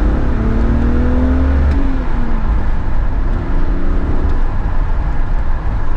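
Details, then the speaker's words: BMW 325ti after fixing an intake leak, replacing the mass airflow sensor and lambda sensors: engine pulls cleanly, note rising smoothly with revs, intake more audible, no hiss or stumble; healthy acceleration. "je trouve que la sonorité a bien changé par rapport au départ sûrement à cause de la fuite ce qu'il y avait entend bien plus l'admission"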